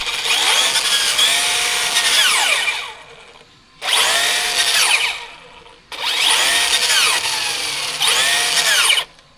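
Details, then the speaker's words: Traxxas Rustler 4x4 Ultimate driven with increased TSM: high rising motor whine in roughly three-second bursts with rough scraping edge; drivetrain grinding, diffs felt fine, owner suspects a leaf or debris caught around the driveshaft. "Got a noise happening there."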